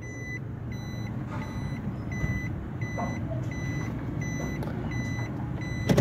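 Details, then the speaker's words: Japanese-market Suzuki Swift automatic idling in reverse, reversing beep sounding, after the faulty cylinder-4 engine coil was replaced. Engine idles evenly with no stumbles or jerks; the earlier misfire and jerking are gone. "ये D पे आ गई। बिल्कुल गाड़ी easy है माशाल्लाह, कोई इस time गाड़ी में मिस फायरिंग नहीं है।"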